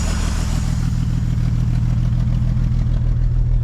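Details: 1950 Dodge Meadowbrook engine, 70 years old with oil-pan sludge, warming up before oil drain, choke held closed with a screwdriver: low, even putt-putt about three pulses a second, no skips; oil pressure 40, charging, all cylinders firing.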